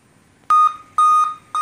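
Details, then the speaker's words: Dell Inspiron N5030 laptop at power-on: repeated beeps, a seven-beep POST error code, with no display; cause unconfirmed. "today we're gonna take a look at this Dell it has a problem when you plug it in and turn it on it beeps several times so"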